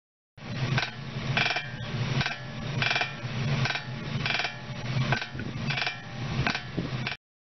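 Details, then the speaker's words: Worn suspension joint squeak: rhythmic squeaky creaks about 1.5 per second, each a short tonal rasp; light vibration starts in the joint and is amplified by connected parts, producing the sound. "Dalam kenyataannya, suara berdecit ini tidak langsung berasal dari dalam sambungan. Getaran ringan pertama kali terjadi di sambungan."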